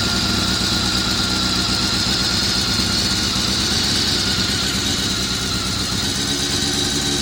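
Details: Honda CBR400RR at idle after riding at Ebisu Circuit: busy idle with an uneven mechanical chatter over the exhaust, about two or three beats a second; abnormal noise, owner suspects the cam gear train, unconfirmed.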